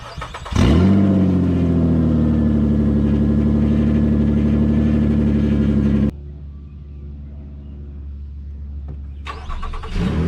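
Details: 2009 Nissan Murano after stick welding its rusty exhaust: starts cleanly and holds a smooth, steady idle with a deep, even note, no blowing or ticking. Much better than before, though not considered 100% fixed.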